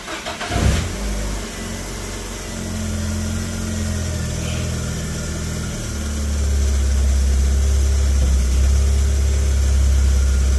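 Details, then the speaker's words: 2010 Ford Ka after steering rack replacement, at idle while the wheel is turned lock to lock: load rises slightly, with no clicking, grinding or knocking, so the rack sounds healthy. Before the fix it clicked, ground and lost steering. "just going for lock left for lock right couple time think sure might be on a steering angle Sor I can near wires punch in so we can he the difference no noise it's very nice"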